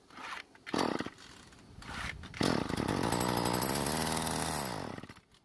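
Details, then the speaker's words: Craftsman two-stroke string trimmer that won't start because of broken fuel lines, before repair: fuel poured into the filter area, then a couple of rope pulls. It buzzes a few seconds then dies, showing the engine can run; the starter rope still has issues. "the first thing i want to do is put some fuel into the filter area and see if it will start and run for a second"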